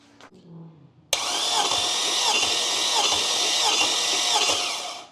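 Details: LS engine cranked on the starter during a compression test: the starter catches abruptly and spins the engine at an even pace for about four seconds with no uneven beats; normal cranking.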